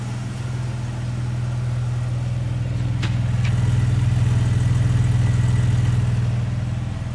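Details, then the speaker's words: 1954 Armstrong Siddeley Sapphire 346 just after its first start on new points and cleaned carbs: a steady, even low idle with a smooth regular beat and no knocks or misses, running clean, charging, with temperature and oil pressure rising. "running very nice and clean too we've got amp charging clock doesn't work yet we've got fuel temperatures climbing oil pressure is coming up"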